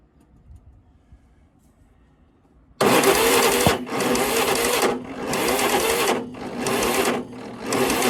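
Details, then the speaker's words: Yazoo lawnmower after magneto refit: starter spins engine in rough bursts with pauses, never catches; ignition timing off. "it's still doing the same thing I'm going to try retarding of the tooth there"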